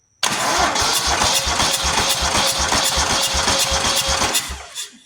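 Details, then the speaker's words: Buffalo Turbine debris blower with a 27 hp V-twin, cranking: steady cranking at about four beats a second with a loud hiss from one side. A head gasket leak is suspected, not confirmed. "you hear that's the head gasket side, I believe. Or it's one of them."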